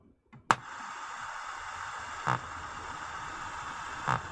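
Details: Hitachi TRK-510ER transistor radio on a 6 V bench supply: soft regular thumps every two seconds over steady hiss with no signal, on both radio and tape, so the shared audio amplifier is motorboating; capacitors suspected, not confirmed.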